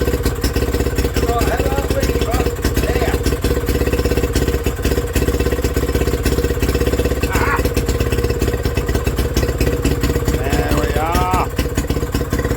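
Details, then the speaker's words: Villiers WX11 single-cylinder on its first start after carb work, with brand-new points and coil. It thumps unevenly, its speed surging and sagging in an idle hunt that needs adjusting at the carb top. "and that hunting don't like it."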